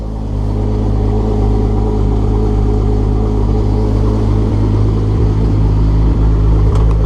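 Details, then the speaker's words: VW VR6 turbo after a new exhaust manifold gasket to fix a rough, rich idle (AFR 10): cold idle about a minute after start, slightly rich, steady even low rumble with no stumble, misfire or hunting. "so it's like what a minute idling yeah it's a little rich because it's still idling the car is still cold that should go uh perfectly down like around 12."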